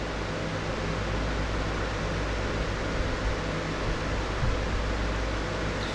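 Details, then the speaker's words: Closed-case mining rig with 6 RTX 3060 Ti on BTC-S37 motherboard, fans at low speed, about 65 dB: steady light air whoosh with low hum, no ticking; power supply is the main noise source. "donc pour moi en termes de bruit avec le système de ventilation c'est ça va c'est un souffle vraiment léger pl je le rappelle c'est l'alimentation et qui fait du bruit l"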